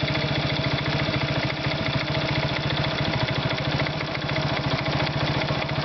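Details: Irbis Virago 110 motorcycle engine at idle; fast, steady single-cylinder idle with a hard, rapid tapping riding on every beat; engine knock, source unclear.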